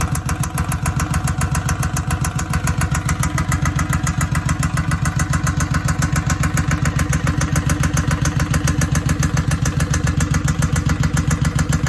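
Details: 2007 Suzuki Boulevard M109R V-twin idling with a very loud, sharp, regular knock in time with the engine, coming from the right side of the engine; cause still being investigated.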